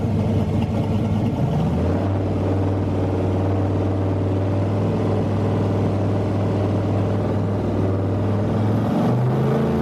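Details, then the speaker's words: Truck with a rebuilt turbo, oxygen sensors just plugged back in: a steady, smooth engine note that rises briefly and settles into an even hum, with no turbo rubbing or scraping. Normal running. "I don't hear it rubbing on anything so I'm not worried about that"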